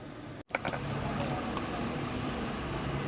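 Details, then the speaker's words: Gas compressor machine after repair, building pressure: brief click, then a steady, even hum with no knocking or rattling, noise gone, like new; normal running. "जैसे new होती है कोई आवाज़ नहीं है बिल्कुल okay हो गई है"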